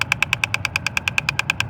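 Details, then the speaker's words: 2010 Mazda 3: rapid, sharp clicking about nine times a second from behind the dash at the glove box. It comes from a failing air blend door actuator, replaced with Dorman 604-811; this is the old one. "here is the infamous clicking noise that's in the glove box it's the air deflector"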